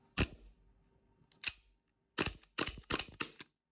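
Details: Boneyard WE Browning Hi-Power gas blowback airsoft pistol, magazine venting when tipped (owner suspects a seal, not the fill valve): six sharp, crisp cracks; the slide cycles snappily, normal blowback.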